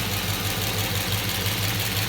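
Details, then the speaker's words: 1966 Chevelle with LS swap and fly-by-wire, started by pushing the button after fuel pressure comes up. It drops straight to a steady 650 rpm idle with a light, even fuel injector ticking on top. Normal injector tick at idle. "and then all's I do is hit the button right up come dragged down to an idol a 650 rpm right away"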